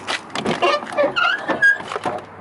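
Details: Old 3/4-ton Chevy work truck (fifth-wheel puller), doors prone to sagging: the door swings with a loud, wavering metal squeal rising in pitch. Squeaky door hinge, fixed with white lithium grease, carb/choke cleaner and silicone spray.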